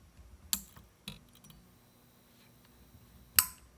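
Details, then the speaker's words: F6T5 preheat fluorescent fixture, Shure microphone placed by the fixture, after replacing a defective lamp: few sharp ticks about a second apart then a louder click; starter cycling normally to strike the lamp, ballast probably overdrives it. "This is an epic light. It's not very blink happy because the ballast probably overdrives it."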